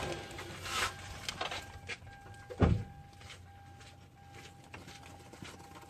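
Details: 2010 Hyundai Santa Fe: thin, steady high-pitched whine over a quiet engine, broken by a few clunks and handling bumps; cause unknown.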